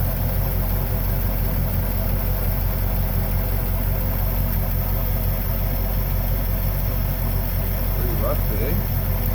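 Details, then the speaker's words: 1968 Ford Mustang convertible 289 V8, first run after sitting 30 years, cold Canadian weather and not yet warmed up; oil pressure good; steady, even low cold-idle rumble with no ticks, misfires or stumbles, running smooth. "oh it's running running smooth see ya oil pressure's still good it's gonna take a little while for it to warm up it's pretty uh it's pretty cold as you can tell with my breath"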